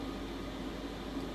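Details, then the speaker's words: Chinese diesel air heater installed in Sprinter van after cutting out the part that blocked fuel suction; quiet even air whoosh with faint steady hum, no pulsing or surging; running normally after fix. "So I just cut it out and just connected the diesel just like I did on my first contraption, and now it's working fine."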